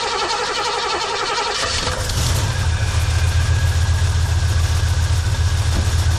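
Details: Engine just after fitting a replacement Carter fuel pump, previous new Delphi pump failed within 10 miles with zero fuel pressure: starter churns under two seconds, catches quickly, settles to steady even low idle; healthy start.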